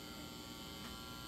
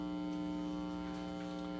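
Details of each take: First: Marshall JCM800 Lead Series valve amp after power supply repair, hum balance set for minimum; only a faint steady low buzz, no crackle or swelling, normal low mains hum. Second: Marshall JCM800 Lead Series tube amp after power supply repair. Loud steady low mains hum with a buzzy edge, traced to the faulty second preamp stage; the hum disappears when that preamp tube is pulled.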